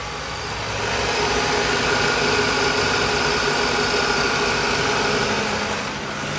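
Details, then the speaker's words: 1994-01 Acura Integra B-series engine after accessory belt replacement, AC on: steady even idle with no chirp or squeal; normal idle, belts quiet. "All right, now let's crank it up and make sure we don't have any squealing and no lights on."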